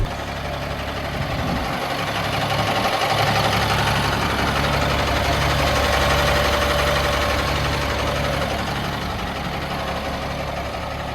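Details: 2000 Stewart & Stevenson M1085A1 5-ton military diesel warm idle, air system aired up front and rear. Even clatter about four pulses a second, steady low rumble, no hissing air leaks; healthy idle, air holding.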